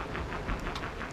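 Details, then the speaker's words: Backfire Ranger X1 all-terrain electric skateboard on its first ride, in slow mode: a soft, regular thump about six times a second tracking wheel speed; owner suspects out-of-round tire nubs or manufacturing imperfections that will wear in, unconfirmed. "one thing I've noticed is you hear the sound come from the tires"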